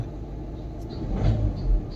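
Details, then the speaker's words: VW Vento petrol engine with check engine light and a blinking heater light: rough rumble with uneven low thuds when accelerated, knocking and slight misfire, traced to a faulty fuel injector. "क्योंकि जब मैं इसको acceleration करता हूं ना तो यह काफी नॉकिंग करती है तो चलो मैं एक बार आपको साउंड सुनता हूं ये देखो ये था"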